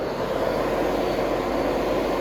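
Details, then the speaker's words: Electric radiator fans on a 1999 Dodge Ram common-rail Cummins swap, switched on from the panel, produce a steady loud jet-like rush of air with no ticking or rubbing; normal fan operation. "oh yeah they're moving some air sounds like a jet about to take off"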